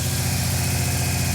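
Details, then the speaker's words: Subaru WRX-turbo-converted engine on first start: lumpy idle with a regular stumble like running on three cylinders; one cylinder suspected of no spark, possibly a coil or coil wire; misfire. "Except one cylinder is not getting a spark by the sounds of it, which could be a coil wire."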